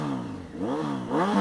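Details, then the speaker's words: 2007 Honda 919 (Hornet, CB900F7) with Delkevic exhaust: lumpy idle with quick blips, steady high-pitched engine whine and faint valve ticking, both normal for 919s. Normal idle. "But you hear that high-pitched whine, that's the engine. They all do that. Any 919 you hear up and running, they're going to have that kind of high-pitched whine."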